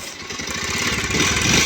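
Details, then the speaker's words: Bajaj Pulsar 125 BS6 motorcycle at 11,928 km with pickup loss and oil leak: fast, jangly "jhar jhar" metallic clatter on each firing beat as revs rise; timing chain rattle, chain being replaced along with clutch plates. "ये देखें engine की आप sound देखें किस तरीके से, यानी कि झझर झझर जैसा साउंड, कट जैसा साउंड।"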